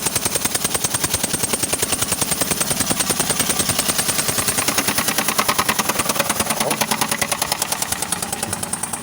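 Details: 2004 Ford Escape, cold start, fuel smell: sharp even popping about three beats a second over idle from cylinder two; owner first suspected injector o-ring, then a camshaft issue.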